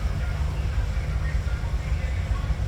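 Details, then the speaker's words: 2015 Cadillac Escalade 6.2 L V8 with flashing check engine light and code P0300: deep, uneven thumping with a stumbling, lopsided beat. One cylinder has no spark due to an ignition fault. "El problema del cliente es que la luz de check engine parpadea ya y ahí se siente fallando el carro."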